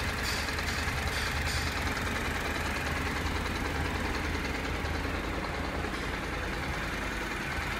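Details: Honda NC700X at steady idle, fully hot: light, fairly quick rattly ticking from the right side of the engine, appearing only when heated up; mechanical rattle, cause unclear.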